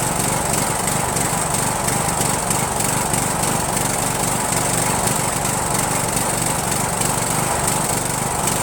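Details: Rebuilt Briggs & Stratton 17.5HP engine (replaced two broken balancer counterweight links) repowering a Yard Machines lawn tractor, first start on choke, no belt pulley: races unevenly with ragged, stumbling beat; runs rough and backfires, owner suspects carburetor.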